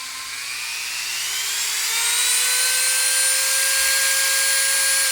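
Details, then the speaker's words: Stereo comparison, Dremel rotary tool on left and variable-speed 5,000–30,000 RPM Sears Craftsman on right; the Dremel is faster. Clean whine climbing in pitch, then holding high and steady with no rattle or grind. Normal rotary tool running. "You can hear that this one's faster. Stereo. Dremel on left, Craftsman on right."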